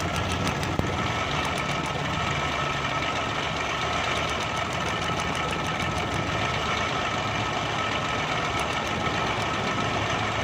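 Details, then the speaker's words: 2012 Suzuki Bolan misfiring on both CNG and petrol: rough idle with an uneven beat under the steady note, one cylinder dropping out; a plug lead, its rubber worn through, is cut and shorting to the body. "ये वायर दोस्तों ये स्पार्क कर रही है, ये कटी हुई है तार बॉडी के साथ लग के। ये देखें, ये रबड़ खा खा के ये कटी हुई है।"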